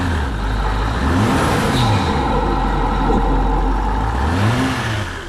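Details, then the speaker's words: Land Rover Range Rover L405 with rough running, during throttle body swap, driving under load: faint whirring tone rising and falling with revs from the intake side, possibly a valve opening and shutting; cause not confirmed. "all right let's drive it up and down the strange noise coming for the intake"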